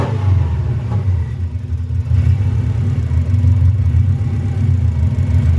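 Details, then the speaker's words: Subaru flat-four with no air filter and temporary routed vacuum pipes, after spark plug replacement; revs drift up and down on their own after a rev, a hunting idle; owners suspect an intake vacuum pipe: surging idle. "That's the dodgy dump valve. Do you hear that revs go up and down? Yeah. That's cause that's something got to do with the intake of the vacuum on one of these pipes."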